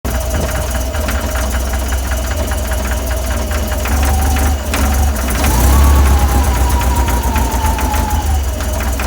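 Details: VW 1641cc flat-four, about 15,000 miles, standard crank and cam, twin DRLA carburettors, cold idle: dull uneven knock about four times a second; caused by play in the aftermarket crank pulley.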